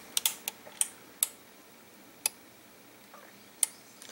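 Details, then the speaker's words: Relay-type voltage regulator after replacing the faulty capacitor that powers the LM324 quad op amp, with much less supply ripple: crisp dry relay clicks at uneven intervals over a quiet background; the regulator now switches cleanly and works normally. "We can see that the circuit works. So changing the capacitor, which provided the power for the LM324 quad op amp, was the problem."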